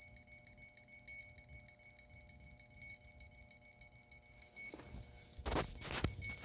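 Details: Hexacopter with Pixhawk 4, Tarot 4108 380KV 6S brushless motors and 1355 carbon props: repeated high-pitched beeps about three a second from the motors, no spin-up; ESCs not arming, cause unknown despite weeks of troubleshooting.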